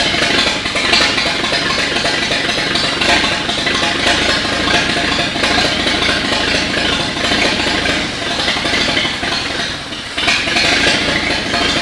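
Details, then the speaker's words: 1939 GMC COE 4x4 six after fixing updraft-carb fuel delivery, wet spark plugs and a minor valve adjustment (timing and plug wires were fine). It runs steady and even with no misses: normal running. "it was mostly fuel delivery issue there with that updraft carb so got that all sorted out she's running good"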